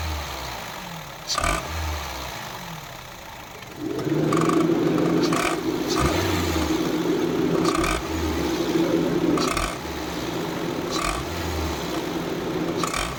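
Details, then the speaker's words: Honda car, 112,000 km: sharp knocks about every 1.5 s when accelerating, like a diesel knocking, from a defective accessory belt tensioner mechanism. "इस गाड़ी में यह problem जैसे ही हम acceleration करते हैं एक्सीलरेटर करते हैं उसे कंडीशन में एक आवाज़ आती है जैसे गाड़ी डीजल गाड़ी नॉकिंग"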